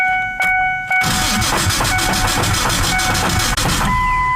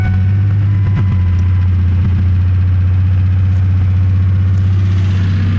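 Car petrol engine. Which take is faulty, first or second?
first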